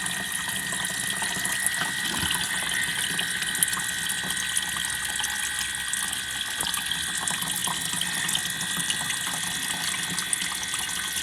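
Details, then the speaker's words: Bench-tested in-tank diesel fuel sender pump from an Audi A4 (also fits VW/Skoda), fused link wire, pumping diesel: steady high electric whirr with liquid splashing, clear, no crackling, stopping or struggling; normal fuel pump operation. "so there we have it guys so as you can see there now is pumping well and it sounds nice and clear there's no crackling there's no stopping it's not struggling"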